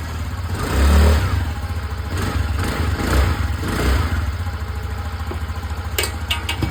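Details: TVS Callisto scooter, previously ticking, stalling and refusing throttle: after cleaning the dirty fuel pump (blamed on Pertalite fuel), an even idle that picks up cleanly on two quick revs and settles without stumbling; healthy fuel delivery.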